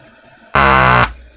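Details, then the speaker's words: Apple HomePod with failing amplifier power-supply filter capacitors: half-second harsh raspy buzz from subwoofer then cutoff and forced restart; DC offset rises as board heats; capacitors need replacing. "uh it'll produce these death fart sounds and force an unexpected restart"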